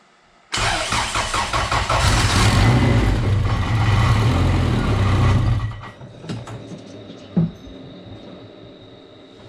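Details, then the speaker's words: Turbo Honda Accord, started with fuel and ECU after dry-cranking showed no oil flow into a test jug: starter whirr, engine fires at once and runs steady for a few seconds before shutting off; normal start. "So, let's see if we can start it with some fuel and ECU and see what happens."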